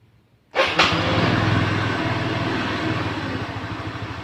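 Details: Kymco Easy scooter after replacing the camshaft with a new-stock part, fixing the earlier krek-krek noise at idle near the CVT: starts cleanly and runs smooth and even, no ticking or clacking, CVT quiet; normal idle and revving.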